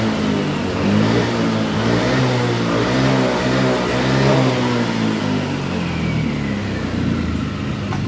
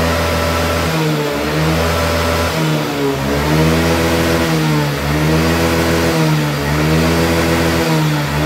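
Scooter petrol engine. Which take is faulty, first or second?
first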